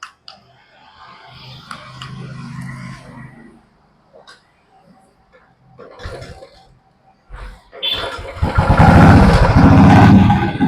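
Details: Royal Enfield BS6 single-cylinder bike with a no-start, MIL not lighting and fuel pump dead, cured by firmly pressing and tightening the battery terminals; quiet spells, then the engine cranks and catches into a strong, even beat; normal start.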